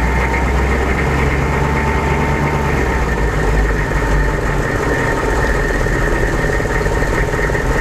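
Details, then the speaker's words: 1998 AM General Hummer, 6.5L turbo diesel, stationary at about 1000 rpm: loud diesel rumble with thin constant whine tracking rpm, louder as revs fall off throttle, unaffected by steering; source unidentified. "all right so now I'm at a stop and I'll slowly uh get it up to about 1,000 RPM and you can hear that noise again it sort of has this like kind of a whine to it"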